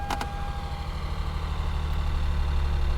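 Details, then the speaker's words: Copart salvage car with mismatched aftermarket wheels, just started and idling: loose, irregular ticking and a couple of sharp chirps early on. The odd noises are unidentified, but it runs with no check engine light and the AC compressor engages. "a few weird noises but it runs and I see no check engine light at all"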